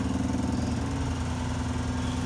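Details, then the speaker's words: Classic Oldsmobile Cutlass or Buick Electra V8 at cold start on a new battery idles low and steady with a fast, light ticking from an exhaust leak, said to seal as the engine warms. "apparently that's really bad exhaust leak available still here and we all go away our CH warms up it you know mental expands right it kind of seals the hole I guess or when the engines cold you'll hear that the horrible ticking"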